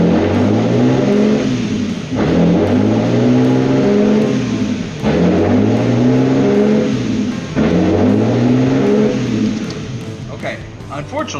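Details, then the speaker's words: Lexus IS300 with P1300 code and no-start, first start after a wiring repair with heat-shrink connectors: idle surges up and drops back in a steady cycle roughly every two and a half seconds. "it is now running, but unfortunately for me, it is late and this thing is pulsing, so that's gonna be a tomorrow problem."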